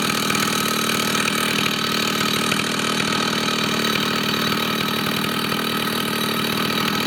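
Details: Vintage Husqvarna 2100 CD 99cc two-stroke chainsaw, fresh rebuild with new bearings, seals and rings: loud steady high-pitched buzz at speed, no dying or surging; runs cleanly on a slightly rich high-jet setting.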